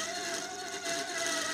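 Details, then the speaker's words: Electric fan running: constant rasping, gritty hum over a steady motor tone, light but rough, pointing to a dry, rusty fan shaft that needs cleaning and oiling. "J'ai un ventilateur. Ce ventilateur a un son rugueux, oui, le son est rugueux, même si. il est léger, oui, et nous allons d'abord tester si c'est vraiment un ventilateur."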